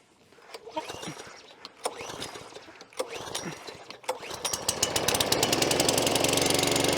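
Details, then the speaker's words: Brand-new lawn mower bought boxed from a DIY store, on its first start after priming: several pull-cord grunts, then it catches into a steady rapid popping that sounds dull and flat, so it runs rough and not at its best. "Now it does start, but the engine sounds a bit flat."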